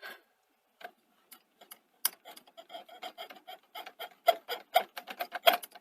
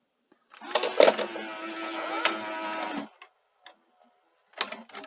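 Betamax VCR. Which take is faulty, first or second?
first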